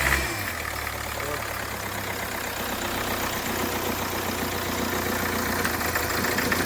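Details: Hyundai Creta diesel after engine rebuild and timing chain remarking, previously knocking with white smoke and hard starting: engine catches and settles into a steady even idle with a low hum, no heavy knock.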